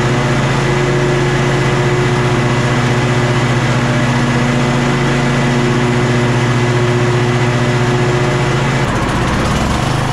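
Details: Kohler KT745 engine on a Bad Boy zero-turn mower, after about 20 minutes running: steady low drone with uneven, sagging beat that stumbles near the end, lost all power under load; fuel flow good and clear, bogging traced to failing ignition coils.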